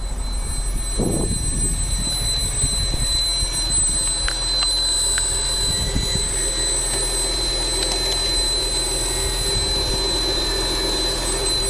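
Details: TL running with a steady, piercing high-pitched ringing tone over a low rumble; the source of the noise is unidentified.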